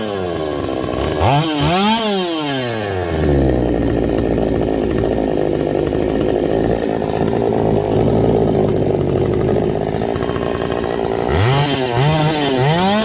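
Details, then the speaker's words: Stihl 025 chainsaw revs in sweeping bursts, then sags and labours at a low ragged speed once gas around the suspected leak area dries up; bogging that points to a vacuum leak there, not yet confirmed. "You see there? Once all that gas dried up around there, it falls on his face again."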